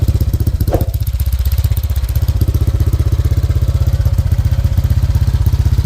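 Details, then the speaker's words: Honda Click 125 built to 160cc, 500 km on the odometer, idling after a 5-minute warm-up: quick, even clatter of about three beats a second over the engine thump. Owner attributes it to the tensioner and plans to replace it. "So yung naririnig ninyo rito, yung tensioner, magpapalit tayo ng tensioner."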